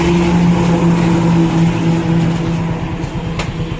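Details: Hero Glamour single-cylinder motorcycle engine revved: a steady, clean hum that settles smoothly back as the throttle closes, with no knocks or rattles; it sounds healthy.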